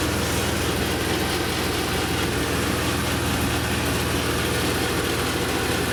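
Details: BMW M3 E36 S50B32 with VANOS, at idle: a steady idle with a fine, even rattle running through it. Abnormal idle noise, cause unclear.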